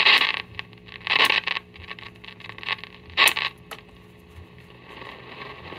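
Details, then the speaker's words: 1942 GE export radio with auto transformer, first power-up with filaments lit: harsh scratchy crackle in irregular bursts over a faint hum instead of clean audio; gassy tubes suspected, band switch setting uncertain. "That doesn't sound good. That sounds like gassy tubes."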